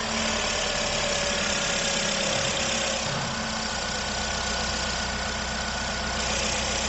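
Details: 2019 Jeep Renegade with a customer complaint of engine noise at idle, after a new accessory belt and new pulley bearings. Smooth steady idle with no knock or bearing growl: the repair is confirmed.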